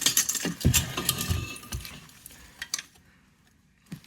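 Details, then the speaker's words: 2006 Dodge Viper Gen 3 convertible still running badly after new plugs and wires, since its passenger-side wires had been arcing; the catalytic converter is shaken with loose clinking like broken pottery; misfires destroyed the catalytic converter substrate. "you have bad misfires it usually destroys the cat and in this case that's the good one"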